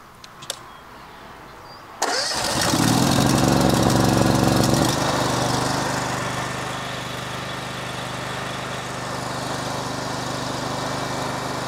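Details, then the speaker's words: Honda TP 15 HP AVR three-phase 15 kW generator, 26 hp gasoline four-stroke engine, 150 kg: key start with no pull cord catches at once, then settles into a smooth, even, steady hum with no knocks or misses; normal start and idle. "Jo, takže fakt není žádný tahání, nic, jenom prostě klíčkem nakopnete a centrála běží."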